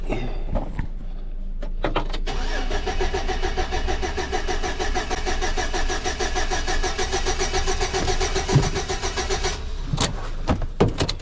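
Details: 2006 Chevy Silverado with every ignition part already replaced cranks steadily for about seven seconds without catching; it's a crank no-start with no spark and no coil control signal, and a bad ignition module is suspected.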